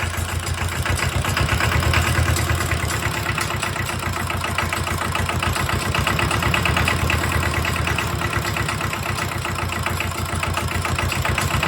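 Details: Mitsubishi D1800 II diesel after cylinder head replacement, valve lash at 0.015 in, about half throttle with exhaust stack and muffler: steady, even clatter with a smooth regular firing rhythm and no misses or knocks.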